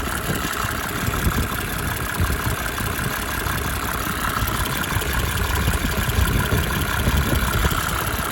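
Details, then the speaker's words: 1987 Mercedes 300 SDL, OM603 six-cylinder diesel, after replacing a squealing remanufactured alternator: smooth, even idle with a steady low clatter and no squeal or chirp from the belt drive; normal idle. "I love the 6-cylinder engines from Benz. They're just smooth as silk. Smooth as silk."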